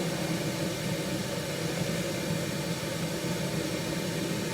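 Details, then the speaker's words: 1974 HydroTherm gas-fired hydronic boiler, first heating start of the season after cleaning: steady, even roar with low rumble and soft hiss, no pulsing. Burner firing nicely and cleanly as the pipe warms. "The burner, let me just get into position, is firing nicely, so that's good for a change. Pipe here is getting warm, I like that."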